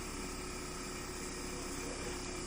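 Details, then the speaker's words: Used Sharp inverter air conditioner in a hot open living room just after start, current falling to about 3.3 A: low, soft, steady hum, no rattles or knocks; compressor very quiet; normal running. "Hai 3,3 dan suara komentarnya pun sangat pelan arti aja dengerin ya hai tuh sangat pelan"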